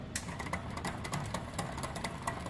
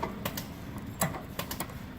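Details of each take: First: QuietKat e-bike rear derailleur after adjustment; quick irregular clicking as chain skips on the cogs, most likely a bent derailleur hanger, possibly worn cassette (suspected, not confirmed); derailleur skipping. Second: QuietKat e-bike rear derailleur after limit screw adjustment; light crisp clicks in quick bursts as chain steps across cogs, no grinding or chatter; normal gear shifting.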